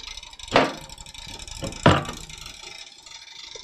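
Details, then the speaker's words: Rebuilt shipping-damaged server PC at first power-on: soft fan whir with irregular sharp clattering bursts from a loose cable hitting a fan blade; fix is cable-tying it. "Something doesn't sound good. Oh, we got a I got a cable hitting the fan. That's an easy fix."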